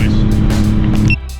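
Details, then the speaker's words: Kei under way: loud, deep, blatting exhaust drone far rawer than stock. The muffler-weld patch on the cracked muffler failed after about a thousand feet, roughly two minutes of driving, and the exhaust is leaking. "all right as you saw about my last in-car footage the exhaust repair for the muffle weld [ __ ] lasted about a thousand feet maybe two minutes"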